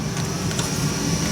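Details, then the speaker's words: 3D printer printing a Colt Python .357 model: a steady buzz with a thin, high whine over the running noise, coming from the print head; cause unknown. "this still making that what the heck I don't know it's definitely on the print head that's weird"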